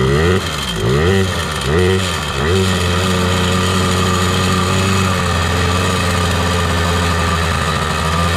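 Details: 2000 Yamaha PW80 two-stroke just after fitting a genuine Yamaha Mikuni 21W-14101-01 carb at factory settings, replacing a leaking Chinese one: a few quick revs, then a steady, even, buzzy idle; carburetion sounds fine, normal idle.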